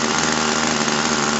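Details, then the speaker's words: Warmed-up RC airplane glow engine, low-end mixture being checked by pinching off the fuel: high, steady buzzing idle holding even pitch without stumbling or surging, runs two to three seconds after fuel cutoff; good low-end mixture, normal idle. "that's about right two to 3 seconds one two three that's a good mixture for the item"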